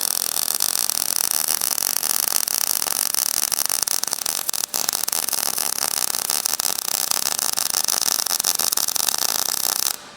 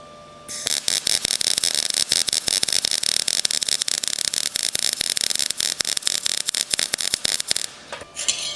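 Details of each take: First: MIG welding with wire speed raised after a slow, spitting run: dense, even buzzing crackle like frying bacon, the sound of a properly fed arc versus the earlier softer sound. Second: You hear how slow that's going? It's like Z and it's spitting out a lot of molten metal.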